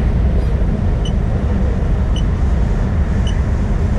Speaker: That's a dash cam jammed on record. The one that's built in, well, it's not built into the truck, they're added to the truck as extras.